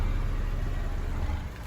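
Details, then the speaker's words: Honda City on CNG/gas, which stalled as soon as it switched to gas; after cleaning found one leaking injector and replacing it: deep rumble eases from a rev into an even, smooth idle without stumbling; normal idle. "ตอนนี้ก็ไม่มีความโดดดันแล้วเครื่องก็นิ่มแล้วโอเคครับ"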